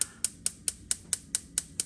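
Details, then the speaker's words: Cosmo propane range, front right burner: knob pressed in, igniter by the flame sensor clicks with sharp even ticks about 4.5 per second before the knob is turned to release gas; normal igniter sparking. "So this one is the front right burner. You press it in and you'll hear it clicking, and then you turn it."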